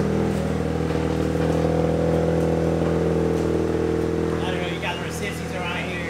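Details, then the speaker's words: Mazda RX7 rotary engine on a dyno under load, pull near 400 (figure unclear): loud, smooth, steady howl at even pitch, no misses or knocks; engine sounds healthy. "That sounds good. Sounds healthy. That's for sure."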